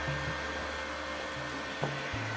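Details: Wildcraft 120i MMA inverter welder repaired after giving no output current, reassembled in its casing and powered on: the cooling fan gives an even, steady low drone with no rattles or scraping and runs normally.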